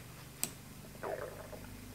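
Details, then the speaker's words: Telechron clock motor in a 1951 GE 512F vacuum tube clock radio, after coil clearance adjusted and retightened: runs almost silently with a faint tick and low steady hum, earlier buzzing gone; distant lawn mowers audible. "Uh we got somebody doing the lawn a couple houses down, but you hear some mowers, but this thing is totally quiet."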